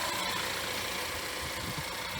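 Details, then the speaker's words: Wrecked 2017 Cadillac ATS, turbocharged engine, heard from outside at the front. Busy but even idle hum with no knocks or misses; radiator holding coolant without leaks; runs smooth, normal idle. "engine runs nice and smooth and we see our coolant right there"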